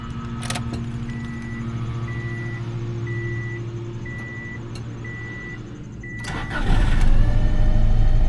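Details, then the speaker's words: Subaru Baja rescue project after new coils and plugs, in neutral: warning chime beeps, brief crank, engine catches first try and runs evenly; smoking heavily afterward. "Oh my god. Yeah, it started. Started."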